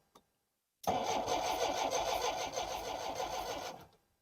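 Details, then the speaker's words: 1960s Homelite 55HP outboard boat motor with new ignition capacitor: about three seconds of steady cranking, quick even chug around three per second, never catches; no spark seen, owner suspects an electrical issue, possibly wrong spark plugs. "this time we're sure not to fail we don't see any spark on this one then absolutely it's an electrical issue"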